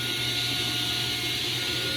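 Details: New Grizzly G0605X1 table saw running at no load, drawing about 8 A (inrush well over 100 A): steady smooth whir with an even high whine, no knocks or surging; motor runs clean.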